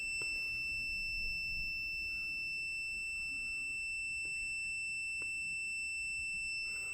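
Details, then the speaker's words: 2015 Nissan Juke in limp mode with cluster warnings lit: steady shrill electronic beeping in quiet cabin, starting only once the scan tool was plugged in. "see here if you can hear that loud beeping guys once I plug the scan tools the dung girl it start make that noise guys"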